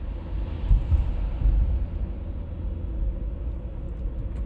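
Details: 1996 BMW E39 523i automatic (pre-facelift): steady low hum under road rumble while cruising at 50–60 km/h and also 70–80 km/h, no knock or whine; cause unclear.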